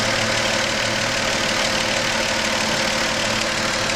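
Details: Engine at steady idle: faint, fairly regular knock about three times a second under a loud airy hiss; engine knocking and hissing, source and cause unclear.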